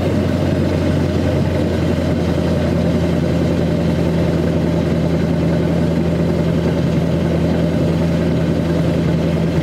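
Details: 2002 Chevy 2500HD LB7 Duramax diesel cold-started at 5°F, Merchant high idle, Airdog lift pump, PPE boost valve, resonator delete; steady even drone at raised idle, no misfire or stumble — normal cold high idle.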